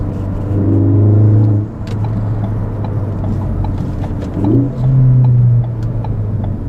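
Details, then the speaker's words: 2016 Ford Focus ST just after a Ford Performance exhaust install, accelerating on the road: a deep, smooth exhaust drone swells evenly as revs climb, clearly louder, with no popping or rattle. Normal, healthy exhaust note. "Wow. That's a lot louder. That sounds great."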